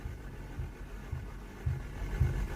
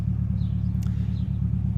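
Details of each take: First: Boosted Civic with sticky valves, just after adding Sea Foam to the crankcase: slow uneven weak cranking pulses about twice a second, sounding like no compression then slowly building before firing; then idles fine. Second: Boosted Civic with Sea Foam just added to the crankcase, idling before reaching operating temperature: a steady, even low rumble with no knocks, ticks or misses. Normal idle.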